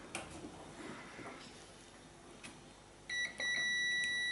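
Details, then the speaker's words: Arc stick welder supply cable tested with a multimeter from the switch input to the plug pin: after quiet handling, a steady continuity beep holds with a very low ohms reading, so the cable is good. "there you go continuity and really low arms reading so cable's good"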